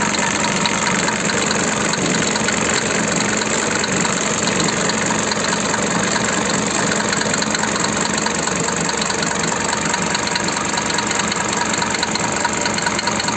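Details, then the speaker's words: Mercedes 5-cylinder diesel (89 mm bore) swapped into a SsangYong, head gasket replaced twice after overheating, head machined twice: hard steady knock about two a second over rough idle, appeared after second repair; engine knock, cause unknown. "هذه الطرطيقة عمي مختار دوختني شوية، إذا كنت ما تعرف لي حل ولا تقول لي السبب ولا كيفاه ما عارف."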